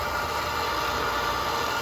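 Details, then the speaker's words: Well pump restarted after working on a waterlogged pressure tank and priming: steady, even motor hum and whirr with no knocks or surging as pressure builds on the gauge, no leaks. It is running well. "It's going to start building that pressure up right there on that gauge. Okay. As you can hear, it's running."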